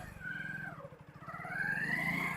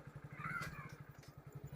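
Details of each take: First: Motorcycle started in the morning and ridden in gear: high squeak and harsh bursts from the rear drum brake when braking, attributed to a glazed, too-smooth drum and dust making the shoes slip. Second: Motorcycle riding after the glazed rear drum was cleaned, engine thumping steadily with no brake squeal left; rear drum brake fixed.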